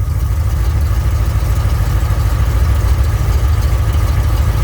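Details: 1967 Mercury Cougar at idle after repair of the power steering hydraulic ram assist, wheel swung lock to lock: steady low idle with no groan, squeal or clunk; power steering working normally, though a hose touches a bracket.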